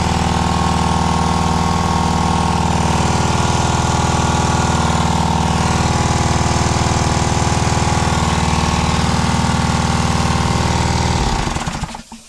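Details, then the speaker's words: Honda GX120 gasoline single-cylinder on an air compressor restarted outside after smoking; steady chugging about four beats a second, slightly rough as it burns off oil and fuel with a badly fouled plug. "See if she'll restart. First pull. She is fouled like crazy."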